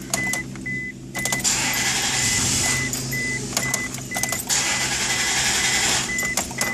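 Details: 2001 Isuzu Rodeo 3.2L, fuel pump fuse pulled and fuel rail run dry before pump replacement: starter cranks in two long even bursts over a door chime but engine never fires; crank no-start from no fuel pressure.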